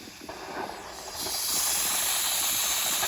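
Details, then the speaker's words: Nuwave 13qt electric pressure canner after canning bacon ends, unit unplugged, release valve turned further: soft hiss swells sharply, then holds a steady rush of escaping steam; normal pressure release. "I'm going to have to go back to TV and see if when I can lift the lid off after this releases. I'm going to go ahead and put the towel back over and turn it a little bit more."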